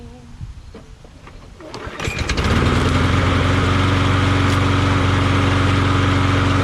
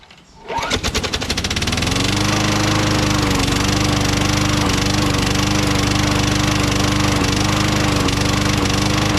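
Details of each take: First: Craftsman push mower after swapping its knocking Tecumseh 6.75 Vector engine for a Briggs Quantum: pull-start, engine catches and settles into a steady, even run with no knock or miss; sounds healthy. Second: Craftsman mower with Tecumseh Vector 6.75 engine: it fires up and runs with a hard, regular knock of about 3.5 per second from inside the engine, knocking constantly after Seafoam was added; spark plug correct and gapped, cause unknown.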